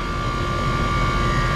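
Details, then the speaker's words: HVAC unit on R-410A, compressor running during charging with suction pressure around 111: loud steady drone with a sharp constant high whine; compressor sounds horrible, failing. "Boy, this compressor is just winding. It's, I don't know if y'all can hear that, but it sounds horrible."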